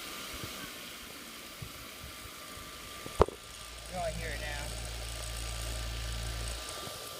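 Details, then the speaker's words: 450-size quadcopter with new carbon propellers: the front left motor gives a rough, gritty, grinding hum that swells as the throttle rises from very low; a normal motor spins silently by hand. "Now, unfortunately, the front left motor, I think, is making a bit of noise. I'll see if I can't bring the camera close so you can tell. I have it on very low throttle now, though. Normal. Normal. Normal. Almost like a frictiony, grindy type sound."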